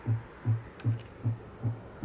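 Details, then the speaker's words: Hi-fi amplifier at about 200 W into 8 ohms driven at 2.5 Hz: a low hum pulsing evenly about 2.5 times a second, as 120 Hz supply ripple gets through while the output transistor sits saturated and its emitter repeats the collector ripple. "Mas isso é o que tá chegando no coletor do transistor, né? E o emissor nesse nesse momento só tem uma coisa a fazer, né? Repetir o sinal do coletor, porque o transistor já tá saturado, tá?"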